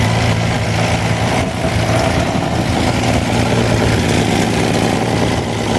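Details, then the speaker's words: Wolseley 14/56 14/60 six-cylinder engine on an engine stand after years in storage, fresh oil and filter: steady, even warm idle with a soft low rumble and no bottom-end knocks or ticks. Good oil pressure, slow warm-up from an oversized Ford 351 cooling system. Normal warm idle. "bottom is lovely and quiet though and oil pressure is good turn to get nice and warm it takes a while cuz this um radiator this cooling system is too big for the motor"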